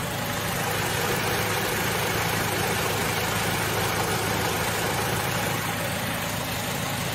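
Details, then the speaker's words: Toyota Tacoma (2007 in the title, later called a 2009) at idle before Snake Oil additive goes into the engine oil and transmission: smooth, even idle with a steady low hum and no knocks, ticks or misses. Already quiet and healthy. "pretty quiet sounding truck already but we're going to put the additive in the oil and the transmission and see if it makes any difference like it's made in all my other vehicles"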